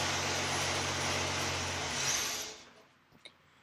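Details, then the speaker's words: Toyota FJ40 with newly installed Holley Sniper fuel injection and rewired fuel pump relay, in neutral, first start on the key; steady even low idle hum, no misfire or hunting; normal running. "sniper did pop on so good news there well pull our brake our brake light even works and she fires up with the key how about that"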